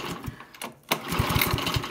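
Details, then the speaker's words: Honda lawnmower GX-series engine (GXV120/GXV140/GXV160), no start: quick recoil pulls turn it over with rapid chuffing but it never fires; spark tester clipped to valve cover shows no spark, so ignition coil or cut-off switch suspected failed. "i'm not seeing any spark which is telling me that either the ignition coil has failed or the ignition coil cut-off switch has failed"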